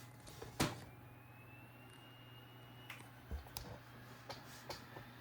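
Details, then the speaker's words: Old Toshiba laptop DVD drive reading recovery disc 2 while creating recovery media: faint whine climbing as the disc spins up, with light head-seek clicks; reading normally. "Alright, I hear it going, so I think it's back to copying more stuff, and wait till it wants disk 3."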